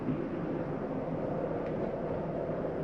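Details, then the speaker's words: 2022 Palomino Columbus 379MBC, zone 1 set to electric heat at 90: rooftop unit kicks on with a steady low rumble and even airy hum, no rattles or surges; normal heater running. "Everything else takes a second to kick on. Electronics working through, there it goes. You hear that rumbling."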